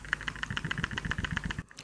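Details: Brand-new Vivo X200 Pro Mini smartphone shaken, quick light clicks about seven a second as the camera stabilizer rattles loose inside; treated as a manufacturing defect.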